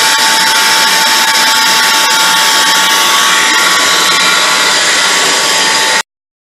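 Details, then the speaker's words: Small band saw after fitting a newly made gearbox, function test: steady even whir with constant mid-pitched hum, no grinding or clunks; saw drive runs cleanly. "I bolted it to the saw and did a function test, and the saw runs and sounds good, so we're going to call it done."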